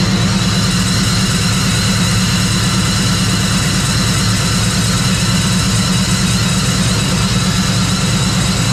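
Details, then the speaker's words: Procharged Trailblazer first start after its D1-SC Procharger was rebuilt and upgraded to a D1-X, with oil, bracket and belt installed: loud, steady idle with an even low rumble and a faint high hiss, no knocks or rattles, and it runs smoothly. "I want to go ahead and start it up, see how the Procharger sounds, make sure everything's good since it was just refreshed"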